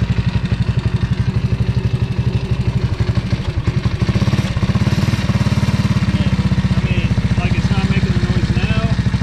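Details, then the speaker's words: 1985 Honda ATC 200S three-wheeler with 165 original miles, idling: single-cylinder beat with a light tapping rattle about three times a second. It seems to come from the clutch cover side; top end and piston are good. Tapping rattle. "it does sound like it's coming from here but I mean the top end and piston are all good"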